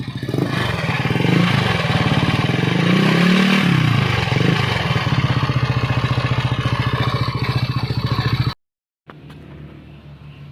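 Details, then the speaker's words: Yamaha NMAX version 1 scooter engine running loud and rough with a heavy clattering "helicopter" knock under the revs, still has oil; worn camshaft bearing. "Pero ano ah lumalagutok. Ito yung tunog helicopter mga idol sa NMAX version 1."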